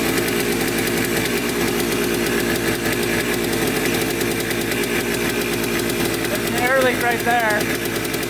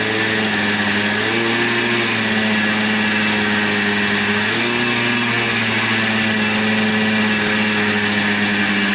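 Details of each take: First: Yamaha Blaster 200 two-stroke quad that bogs with no power and heavy white smoke, recorded idling up close; fast crackling idle with unsteady beat and hunting speed; owner suspects crank seal or intake air leak. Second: 1996 Yamaha Blaster 200 two-stroke quad, after the carburetor was reinstalled and the leaking fuel fixed: crisp revs that climb and settle cleanly with no bog. It had bogged with no power, thought to be carb flooding plus a pin in the wrong position. Sounds fixed.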